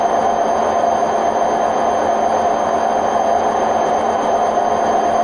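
A loud, steady roar with no let-up through the fast spin, typical of worn drum bearings in a front-loader.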